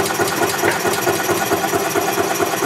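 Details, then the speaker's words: 2007 Club Car Precedent gas golf cart, single-cylinder engine first started after oil change following gasoline-in-oil problem (suspected failing fuel pump, new pump); rapid, even metallic clanking over idle, cause unknown; cart then runs well. "typically don't do that all right I hear that clanking noises gun"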